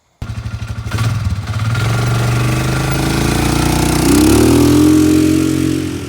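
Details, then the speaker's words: Polaris Ranger 500 4x4 after top-end rebuild and new carburetor needle valve, no coolant: fires from cold, catches cleanly, settles, pulls up smoothly on first drive around yard; normal running. "Alright y'all, very successful first drive there."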